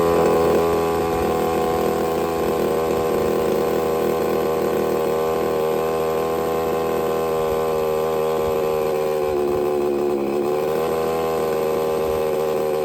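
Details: Redcat Rampage XB with Walbro 990 carburetor, after needle setup: buzzy two-stroke holds steady even high idle with one brief dip and recovery; running cleanly and settled.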